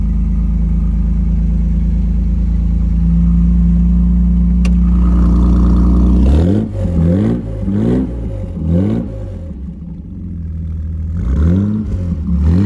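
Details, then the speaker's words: 1964 Austin-Healey 3000 MK3 BJ8, 3-litre, engine overhauled, no smoke, started from driver's seat: fuel pump ticks, catches and settles to smooth idle with clean even throttle blips; healthy. "vous avez une Hillet qui chante bien."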